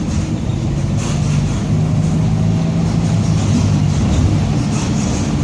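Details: 2007 Torino bus on Mercedes-Benz OF-1722M chassis (Grande Londrina 4178) while driving: a steady low drone holds level over road rumble with no knocking, a growling rear differential.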